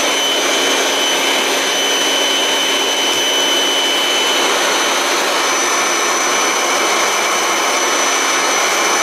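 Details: Kirby G6 vacuum not serviced in years, after cleaning, servicing and reassembly: a strong, steady high whine with even, rushing airflow and no rattles or pitch wobble; the motor runs healthy.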